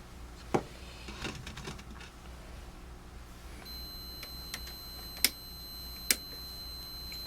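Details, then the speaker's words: 1947 Chevrolet car radio on bench power supply with power switch off: a few sharp clicks then a steady thin high beep; supply's short-circuit alarm, owner suspects a misaligned insulator shorting the radio. "that's not a good sign what is shorted where power switch is off"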